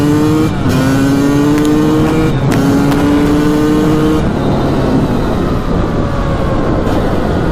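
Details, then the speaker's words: 1998 Honda CR250 two-stroke, fresh oil, first ride since December: crisp wail climbing cleanly through the revs, shifting up and pulling again, no misses or rattles; runs strong, normal running under load. "And a lot of people in the comments are gonna be like, ah, it's not running right. This thing runs amazing."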